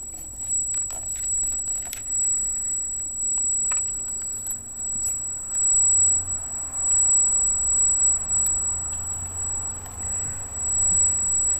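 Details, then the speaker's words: Freshly installed Arris CM2000 brushless gimbal holding a GoPro Hero with FPV cable offsetting the balance: thin constant high-pitched whine over quiet room noise, squealing like crazy; gimbal motor whine the owner considers part of the setup. "all right that's the heiress you can hear it squealing like crazy"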